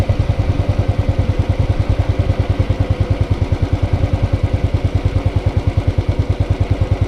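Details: Hot motorcycle idle after a short ride, with the engine replaced (including starter, internals, throttle body and fuel injector): a steady, even low thump, about three pulses a second, with no tapping or knocking; healthy.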